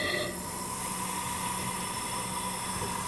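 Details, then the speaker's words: Little Wonder leaf vacuum engine that won't start, on a leak-down test at 35 psi: a steady hiss as nearly all the air (about 100% leakage) escapes through the intake valve, which is not sealing; the leak shifts to the exhaust valve as the engine is rotated. "in 35 pounds and I'm hearing it all come out the intake"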